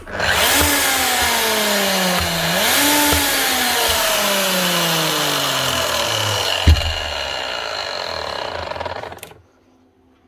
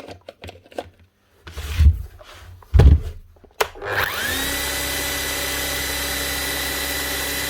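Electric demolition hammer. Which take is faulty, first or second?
first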